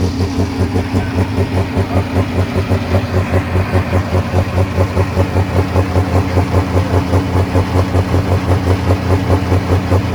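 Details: Super stock pulling tractor diesel, injection pump stuck open, at Pullers Championship 2022: heavy uneven loping thump about 2.5 beats a second; won't start without lots of ether, two bottles at once.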